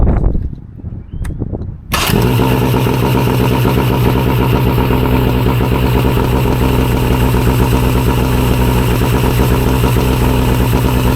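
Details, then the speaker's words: Mercury 115 outboard that had revved very high: after fixing a loose, sunken choke piece that kept the throttle stuck and bending aside a part that was sticking the linkage, it starts and settles into a steady, even, clean idle. "up. Runs like a dream."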